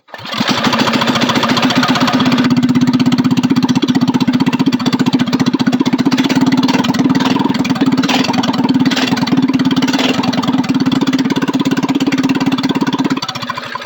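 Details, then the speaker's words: Coleman CT200U-EX trike engine after stage one kit, running with new exhaust pipe but no muffler: loud rapid single-cylinder beat with sharp irregular pops and sputters; fitting the muffler later removed the popping. "So for me, I like the way it sounds, but it's just a cruiser, so I don't want it as loud. So if this muffler quiets it down a little bit, I'll be happy."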